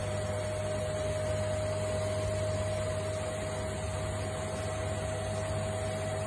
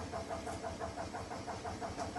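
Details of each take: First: Indesit washing machine after replacing broken shock absorbers that caused squeaking on spin: hums evenly through its spin with a steady tone, no squeaks or knocks. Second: Indesit washing machine on spin: quick, regular squeaks about six a second over the spin rumble, caused by broken drum shock absorbers.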